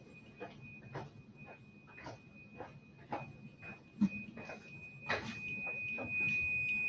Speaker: i set my meter up to check continuity and continuity what that is is it will send a current through the circuit and if the circuit is continuous it will ring a buzzer if it's not continuous it will not ring a buzzer